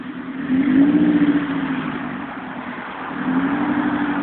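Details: JDM Honda B16 petrol engine blipped twice with a raspy, buzzy exhaust note from a bad exhaust leak.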